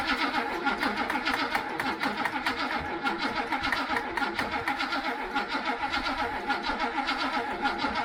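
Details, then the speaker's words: 1966 El Camino barn find, first run after 12 years not running: steady pulsing beat with no knocking or grinding; engine sounds healthy after long storage. "Sounds good. 12 years! 12 years she ain't run."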